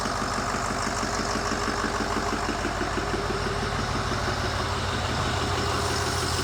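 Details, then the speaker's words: 2008 Ford E350 diesel, mostly rebuilt engine, first start with no coolant or radiator, IPR a little high from air in system: steady, even settled idle clatter with regular beat, no knocks or misses; oil pressure up, normal idle. "Oh, that's a thing of beauty right there. We got oil pressure."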